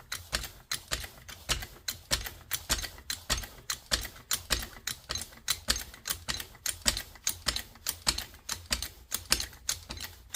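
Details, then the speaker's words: Trolley jack tested after an oil top-up and refitting the bung. Quick, regular clicks from each pump stroke, even and unforced with no hiss or slipping; the jack lifts properly. "There we go. It's rising up quite nicely now. Same thing on this end. All good."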